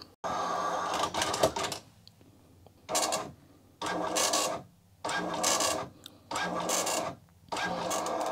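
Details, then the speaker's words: Commodore MPS 1500C color dot matrix printer from the 1980s, driven by an Amiga, color cassette just installed: rasping buzzy print passes about a second long with short gaps between lines; printer works normally. "yes look at that this printer works just fine look at that"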